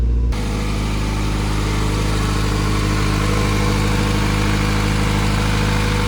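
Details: Honda EM1 after a compression test (readings around 210, gauge suspected faulty): the engine catches at once and settles into a steady, even idle with no misses, knocks or stumbles.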